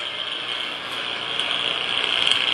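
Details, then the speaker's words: Westinghouse 30 A breaker, top pole, heard through an ultrasound contact module: a steady high crackling hiss builds slightly where a healthy breaker should be silent; something is going on internally in the breaker. "so this here obviously just from a tonal quality standpoint there is something going on internally on the breaker"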